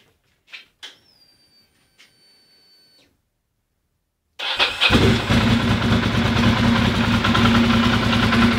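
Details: Ducati Monster 620ie: after a few clicks it fires and idles with an uneven, lumpy beat as one cylinder drops out; bad fuel injector, misfire moved to the horizontal cylinder after swapping injectors.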